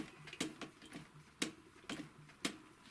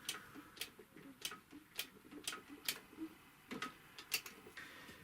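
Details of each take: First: Typical GC 2605 industrial cylinder-arm sewing machine, previously dry, stiff and squeaking, turned slowly by hand after lubrication: soft mechanical clicks with no squeak or squeal. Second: Typical GC 2605 industrial cylinder-bed triple-feed sewing machine, never oiled and completely dry, turned by hand: sharp dry clicks about twice a second with faint squeaks; dry mechanism squeak, to be oiled with I-20A industrial oil.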